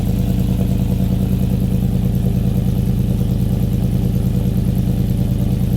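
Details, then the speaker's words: 5.3L V8 Silverado with 2024 C8 Corvette intake manifold, 2019 ZR1 throttle body, headers and colder intake, untuned: heavy V8 burble that hunts and stumbles, struggling to hold idle; rough idle, louder exhaust. "so yeah you can hear it having a hard time uh idling like I said none of this is tuned it's not even tuned for the headers the new intake the colder intake or the bigger throttle body so it makes sense for it to be you know having a trouble to stay on"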